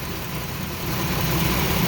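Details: 2003 Chrysler Town & Country 3.8 V6 with flashing check engine light, codes P0300 and P0204, at idle: rough, lumpy, stumbling rumble from a dead cylinder; injector signal wire found shorted to power, not the replaced coil and plug wires.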